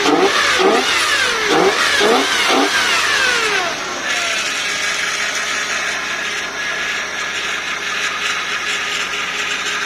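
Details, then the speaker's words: 1992 Lexus LS400 with 1UZFE engine, after fuel pump replacement and fixing the injectors' missing earth: several sharp, clean throttle blips, then a smooth, steady idle with no misses or knocks; normal revving, running outdoors on a cold night. "there we go smashing very happy very very happy"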